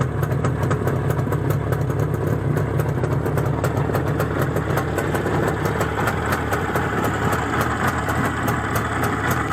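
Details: Izh Jupiter-5 two-stroke with balanced crankshaft, idling after about 2 litres of petrol burned with Rostov pistons fitted; steady, even idle with clean ticking beat and no knock or rattle, the feared piston ringing has not returned; normal idle.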